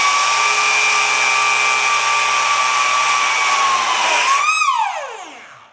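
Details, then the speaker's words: Rastar 1/14 Porsche 911 GT2 RS Clubsport RC car, first run breaking in a newly fitted gear after repair: high gear whine holds, wavers, then drops as the motor winds down; teeth bent, gearbox sidewall damaged, gear stripped. "well I think that gear didn't work yep sounds like the teeth bent"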